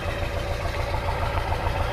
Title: 1999 F350 7.3 Engine Bay and Exhaust Smoke. Slight Engine Shake/Misfire